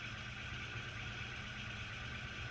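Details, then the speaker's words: Small pulse motor with Hall effect sensor and bipolar commutation, low torque, running at 5 volts, 10 milliamps, 50 milliwatts, around 600 RPM: even, steady whir with no knocks or stumbles; normal running. "So now we're spinning around. Focus. We're spinning around 600 RPMs, 5 volts, 10 milliamps, 50 milliwatts."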